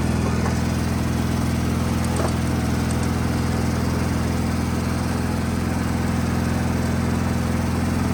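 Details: Wheel Horse 520H hydrostatic tractor running on its own gas tank, started by jumping the solenoid with a weak battery; strong, even engine drone at constant speed, no surging, misses or hunting; test drive successful, runs great.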